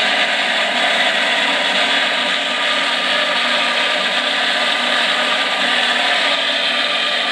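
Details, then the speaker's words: Micro hydro turbine just turned on slowly at 60 psi, then about 50 psi, a few days after piping install: constant high raspy whirring rush, quite noisy and a little raspy, no steady beat; cause unknown, water supply may not sustain it. "it is quite noisy i have to say [Applause] i would have to say [Music] that it's a little raspy but we're just gonna see how long it'll stay with the water supply that we have"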